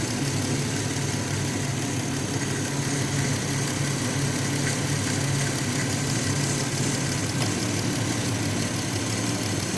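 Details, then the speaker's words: 2016 Dodge Grand Caravan 3.6L at idle after alternator replacement: noise much reduced, but an even low hum with a faint rough whir remains, suspected tensioner and a pulley. "Le cambié el alternador. Ya no se escucha tan feo, pero parece que el tensor está haciendo un poco de ruido. Y una polea."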